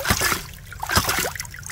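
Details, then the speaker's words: Hydraulic ram pump after the sticky waste valve's off-center washer was replaced: a regular clack with a splash roughly every 0.85 seconds, steady and unbroken, normal cycling. "so this is the distance this piston travels so you can see this pump working pump operating at about"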